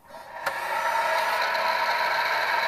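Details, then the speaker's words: HP Infinium oscilloscope being repaired, running with the hard drive unplugged: steady whirring hiss with a rough edge from the small processor cooling fan, not the hard drive; fan to be replaced. "so that screen sound is is this little fan there and not the hard drive so we have identified the culprit"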